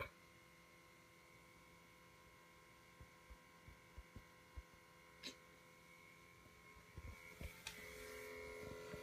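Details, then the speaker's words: 2013 Chevrolet Volt parked unplugged in a garage at about 11:30 p.m.: a quiet steady electrical buzz with faint ticks seeming to come from underneath the car; source unknown. "I just came out into the garage the volt is not plugged in but it's making like a huge noise seems to be coming from the"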